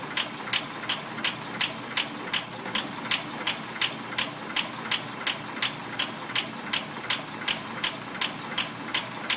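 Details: Packard engine at a quiet idle: a crisp, even tick about three times a second from a hydraulic valve lifter.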